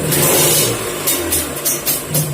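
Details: Kawasaki Ninja two-stroke motorcycle engine, exhaust covered: crisp revs rising and falling cleanly with no droning hum; humming fault traced to the primary gear, now healthy.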